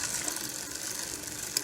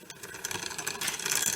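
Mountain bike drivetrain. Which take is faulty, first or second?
second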